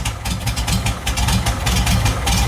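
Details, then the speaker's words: VW engine with a cam, after a rubbing part was fixed; low, lumpy thumping idle with an uneven cam beat, steady and free of knocks or squeals; the thump is normal. "You got a cam in this thing? Yeah, board 30, you know about the thumper. Normal noise."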